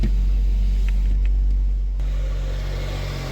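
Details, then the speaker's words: Car after dual-mass flywheel replacement (previously knocking at start and idle), cold start: steady low idle at slightly raised cold revs, smooth and even with no knock or rattle; repair successful. "Вот машина работает на холодную. Ничего не слышим мы."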